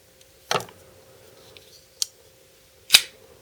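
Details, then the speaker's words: BL06 folding knife after break-in, loosening the pivot, two small drops of oil and retightening: quick swish and clean snap as the blade locks, repeated without drag or grit; the stiffness may largely have been from the knife being assembled completely dry. "Big part of this problem might actually have just been that this knife was completely dry. You know, somebody wasn't paying attention when they put it together."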